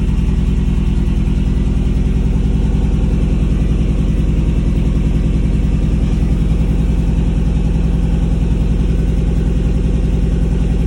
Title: Misfire on cyl 3 due to shit plugs that came with new engine.